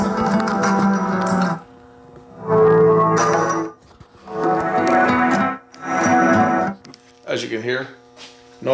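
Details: Marantz 2230 receiver heard through headphones held over the microphone: music plays cleanly with no crackle, hiss or static, so the output is clean.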